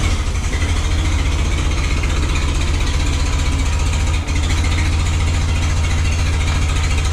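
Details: 113-year-old car with a starter motor, started with a bit of choke and a little throttle: a slow, even low chuff, about four beats a second, firing cleanly and running smoothly. Normal running.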